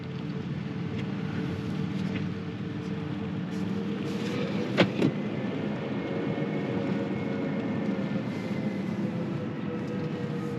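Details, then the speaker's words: 2024 Hyundai IONIQ 6 Limited EV at crawling speed: soft, steady synthetic hum with faint tones over quiet tyre noise, the low-speed external pedestrian alert working normally; it stops above a certain speed. "When you're going slow, there's a little bit of a noise that it projects outside the vehicle, just to kind of let people, know that there's a vehicle running or whatever."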